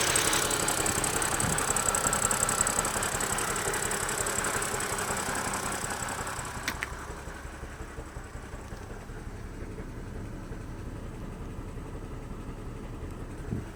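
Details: BMW E90 330i at idle: regular pulse of about three per second that fades as revs settle; possible misfire, cylinder not identified.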